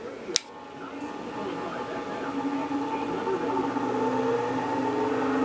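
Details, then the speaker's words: 6-inch bench grinder, 3450 rpm, unmounted on table: smooth steady hum building as wheels reach speed, no knocking or wobble, sitting perfectly still and quiet; normal running, low vibration. "far so good you go look at they're sitting perfectly still perfectly quiet how about that"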